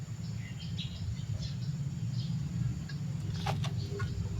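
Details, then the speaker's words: One-door refrigerator with the light on but not cooling, compressor powered directly by jumper wire bypassing relay and overload; a low steady hum with no clicking or stalling as the compressor starts at once: normal compressor hum. "Nah, mulai ya. Ada suara berdengung ya. Ya. Setelah diberikan setrum, kompresornya langsung hidup ya."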